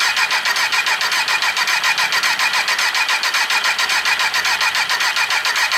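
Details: 2003 Kawasaki Z1000 unstarted for six years stored outside, mouse-infested: steady rapid cranking just under two beats a second with no catch or firing — prolonged cranking.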